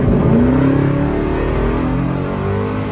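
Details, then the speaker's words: 1968 Chevy Biscayne, 388ci small-block V8, 200-4R overdrive, after a TV cable adjustment: under full throttle revs climb hard and hold high, no upshift, over-revving; TV cable still misadjusted or governor needs recalibration, suspected. "Huh. Still won't shift."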